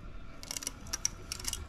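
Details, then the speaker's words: Quiet, irregular crackling like masking tape peeling as a customer's mold-affected VHS tape is hand-unwound under tension onto a take-up reel; sticky shed layers unsticking. "that's the tape itself unsticking and you can see where it's remove the bit of the film on the bottom"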